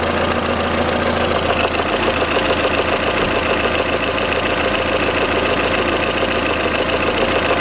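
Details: Lada Kalina 11183, 1.6 L 8-valve petrol, about 70,000 km claimed (odometer rolled back), knock appeared hot after switching to Shell 10W-40 and a flush: light, fairly even tapping about two per second at warm idle; camshaft end play.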